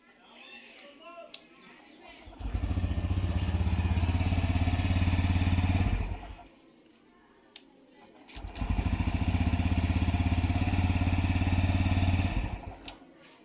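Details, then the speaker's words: TVS Raider BS6 motorcycle after an engine rebuild; before, the self-starter failed to start it, with excessive noise and a crank sound. Now the starter spins cleanly and the single idles with an even, steady thump, with no knocks or rattles. Smooth, healthy start and idle. "Self కొట్టినప్పుడు ఎటువంటి sound లేదు, ఇంజన్లో కూడా ఎటువంటి sound అయితే లేదు. Engine అయితే స్మూత్గా ఉంది."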